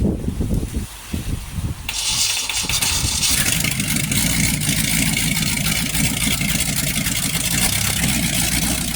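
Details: Freshly rebuilt 1960s Chevy 327 carbureted small-block V8, first fire-up with new HEI distributor, cam not yet broken in: brief crank then steady, even idle; good oil pressure, timing needed no adjustment.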